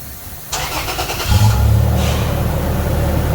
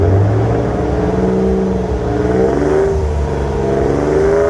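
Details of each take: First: 2008 Toyota Tacoma after installing a Walker Quiet Flow stainless muffler: cranks, catches in half a second, settles into a deep, even, mellow exhaust rumble revved up, no rasp or rattle; quieter. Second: 2008 Toyota Tacoma with a cheap AutoZone muffler, before a Walker Quiet Flow install. Deep, booming exhaust swells loud through quick revs and settles to a heavy idle drone, audible inside the cabin.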